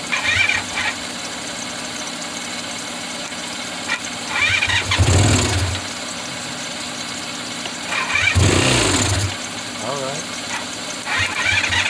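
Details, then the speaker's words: 1985 Honda VF500F Interceptor: two short firing bursts of about a second each on gasoline sprayed into the intake, then it dies. It runs only on sprayed fuel; gas is in the bowl but not passing through the carbs, cause unknown. "we don't have a fuel leak when i spray the gas inside of here i just don't know why it's not going through the carburetors again dude it's so stupid"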